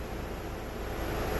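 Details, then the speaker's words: Audi A5 HVAC blower fan after replacing the fan control module, car started; soft, even rush of air with no rattle, squeal or surging; blower runs normally, though fault later returned after restart. "let's fire it up hopefully that fan goes to more than seven pray for me it works Hallelujah"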